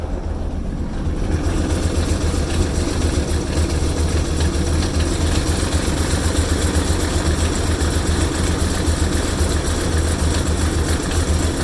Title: Oil Pressure Reading at Rough Idle